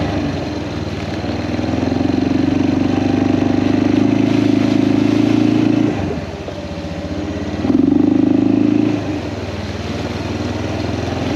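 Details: Kawasaki Prairie 400 single-cylinder ATV after engine rebuild, on a test ride, camera on magnetic base: even thump rising and falling with throttle, no knocks or misses; runs fantastic; carburetor float still needs adjusting; normal running.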